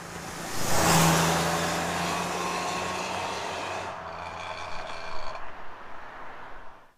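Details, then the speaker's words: 1997 Camaro 3.8 L 3800 Series II V6 with new Walker Sound FX 18235 muffler, heard from outside: deep even exhaust drone builds then fades, smooth and not overly loud; normal exhaust note. "So, that's what a Walker 18235. Double check. Yeah, 18235 sound FX muffler sounds like on your 199596 to 2002 3.8. 8 L Camaro or Firebird."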